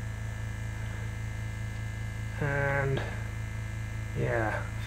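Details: Vintage oil-filled arc welder transformer powered from a generator at about 250 V AC: a steady low mains hum with a slight buzz, while its power draw climbs as it warms up; normal transformer hum.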